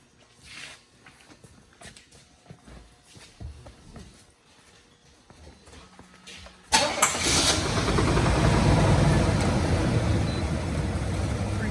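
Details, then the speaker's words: Low-mileage, garage-kept 1985 Pontiac Grand Prix V-6 cold start: catches at about seven seconds, then a rough rapid ticking puff over an otherwise pretty quiet idle. Slight startup knock and exhaust leak. "bit of a knock and a little bit of exhaust leak on startup. Pretty quiet."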